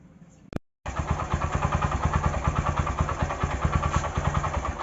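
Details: Bajaj Platina 100 engine after camshaft bearing replacement fires up and settles into a steady, even idle with no knocking or rattle.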